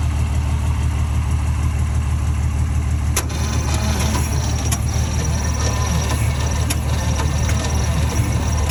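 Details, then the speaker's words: 1949 Ford shoebox sat about 50 years, HEI distributor fitted; new starter cable, added ground and new jumper cables didn't help; heavy sluggish cranking about three turns a second, trying to fire but never catches; slow cranking, no start. "okay so I was getting obviously really really slow crank I ran a new starter cable um I added a ground even actually got new jumper cables cuz I thought mine might be junk um so that has not helped at all it's still super CL slow crank it's trying to fire you can hear a little bit"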